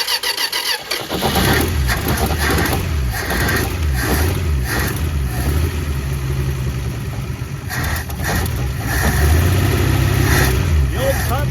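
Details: 1962 Dodge Lancer slant six, previously seized, first start with a stuck carburetor needle and seat: it catches after cranking, then runs with an uneven, lumpy, wavering beat and stumbles; rough, temperamental running, cause unclear.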